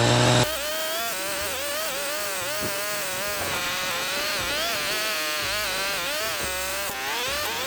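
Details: Echo weed whacker after broken drive shaft repair, cutting weeds: small two-stroke buzzes evenly, pitch dipping under load and recovering cleanly, music over it; runs healthy.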